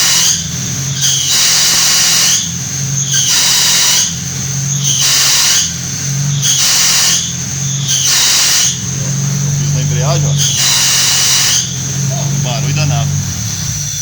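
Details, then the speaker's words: Hot rod at idle: harsh high screech in bursts about every 1.5 seconds with each clutch pedal press. The squeal is traced to the clutch cable pulling when the pedal is pressed. "Quando eu piso na embreagem, tá fazendo um barulho alto danado, entendeu? Não sei se é embreagem, se tá arranhando."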